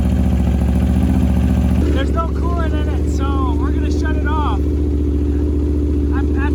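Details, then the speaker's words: Wrecked 2021 Aprilia RSV4 under rebuild, chilly day: steady, even V4 idle with firm low beat, some chirpy noise over it, no stumbles or knocks and no smoke, suggesting the possibly corroded piston rings are not bad. "she runs that V4 sounds fantastic and it's not puff and smoke"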